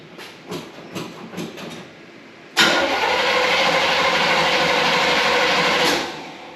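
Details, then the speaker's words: 1972 Chevy Impala, original points ignition, parked with a severe misfire: starter spins the engine steadily about three seconds with no catch. No spark suspected, spark test planned. Cranks but no start. "it's turning over I'm not here and Spark so I think we're going to start there"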